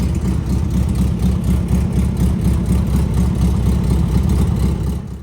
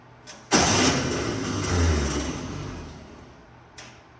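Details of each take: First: Air-cooled VW engine running with even steady chuffing about four pulses a second until switched off; runs good, though owner says it still needs a tune-up, carb adjustment and plugs. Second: 1964 VW Beetle first start in a very long time, carburetor empty; fast even starter whir rising and fading with no firing, the old 6-volt starter with a 12-volt solenoid spinning without engaging.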